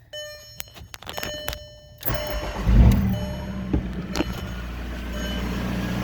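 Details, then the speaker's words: VW Mk4 TDI diesel started with a jumper cable run to the 109 relay while diagnosing a parasitic draw. It settles into a steady, even, normal idle with no misfire. "see listen to it sounds good right"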